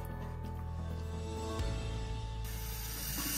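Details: Newly installed Fluidmaster 400A universal toilet fill valve refilling the tank: a steady, even water hiss builds over background music. The tank seals well and the new valve fills normally.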